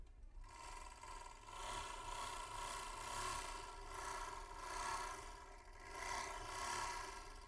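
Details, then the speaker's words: Overlock machine running after its loose part was centred and the screw tightened, with the washer part (chapiya) fitted: steady speed with an even, light whirring rasp and no loud clatter. Noise much reduced, now running normally. "तो आपने देखा एक machine में आप यह जो part होता है यह रहा देखिए इसे चपिया बोलते हैं यह पार्ट अगर लगाते हैं तो मशीन में आवाज बहुत कम हो जाती है"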